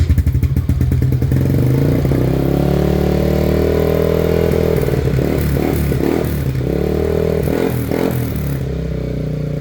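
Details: Yamaha Aerox V1 scooter that would not start that morning despite having power and fuel, battery at 11.7 V: catches after a few cranking pulses and settles into a steady, even idle with no knocks or misses; now running fine.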